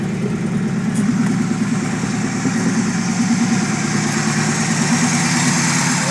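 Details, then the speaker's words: Chevette with swapped Keihin CV motorcycle carbs, dead cold start after resealing parts that were tilted and leaking vacuum: cold engine idles with a steady low throb and slight unevenness, close to target with acceptable AFRs. "Dead cold start. No way. That's running way better. Oh, there we go. Starting to read. She's a little wobbly, but pretty dang close to where I want it to be for a dead cold start."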